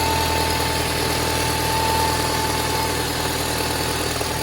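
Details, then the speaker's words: Toyota Harrier 5S-FE cold start: busy, arrhythmic crackling rattle over a steady cold idle that fades as it warms; it has been growing for four months, timing belt checked fine, source unknown. "Когда машина прогреется, треск пропадает. Но как только заводишь на холодную, какой-то треск стоит."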